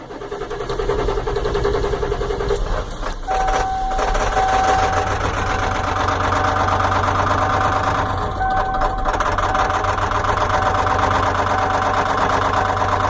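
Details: 1994 Ford F-250 diesel idling with a steady clatter, roughly three to four ticks a second over the idle; owner suspects a bad injector knock, unconfirmed.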